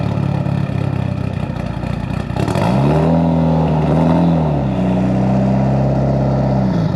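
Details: Built Mitsubishi Evo 8 with Kelford 272 cams, exhaust and downpipe fitted, wideband wired; deep, uneven rhythmic lope at idle with a rev blip, the intended big-cam idle, idle problem solved.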